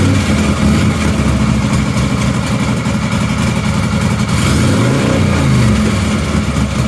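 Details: 1953 Harley-Davidson generator shovelhead bobber V-twin, kick-started totally cold: deep, loping beat idles fast and evenly, then eases to a slower, lumpy idle; healthy cold start.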